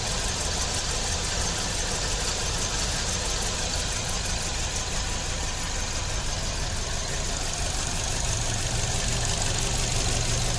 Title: 2006 Kia Rio 126,079 Miles Random Misfire Walk Through